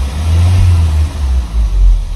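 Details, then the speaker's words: Audi A6 3.2, 171,000 km, running on cleaning fluid instead of petrol during repeated flush cycles: quick sharp blips with revs rising and falling cleanly; idle still wavers occasionally but throttle response is now crisp. "и вот иногда вот так вот играется но уже Прямо отвечает мотор"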